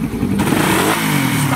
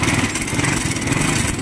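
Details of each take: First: Motorcycle engine after repair, previously very noisy: revs up smoothly with even exhaust note, now quiet with no knocking or rattling. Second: Motorcycle runs loud and rough with a harsh rattling clatter and heavy vibration. The noise came from a worn clutch lining and a scored clutch hub.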